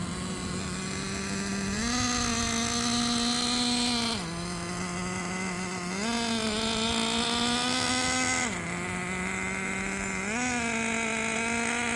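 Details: New engine in Jato 3.3 RC truck, first run break-in with quarter-throttle two-second pulses after tuning: high buzz stepping up with each two-second blip and falling back cleanly; normal running.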